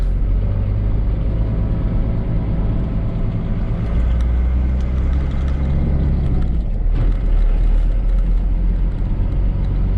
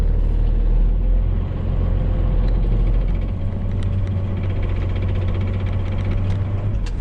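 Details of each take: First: 1995 Dodge Ram 2500 with 12-valve Cummins turbo diesel, after installing a rebuilt NV4500 5-speed and a new clutch and pressure plate, run in gear on the lift from the cab: smooth low drone with no whine, grind or rattle. Normal transmission running in gear. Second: 1995 Dodge Ram 2500 with 12-valve Cummins turbo diesel and NV4500 5-speed manual, 240,000 miles of work-truck use: an uneven rattle at idle from damaged input shaft and cluster gear teeth, which goes away with the clutch pressed in.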